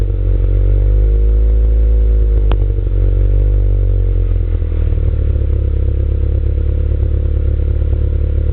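Engine runs with an irregular stutter, beats not keeping even time against the steady drone, the kind of stumble a misfire gives.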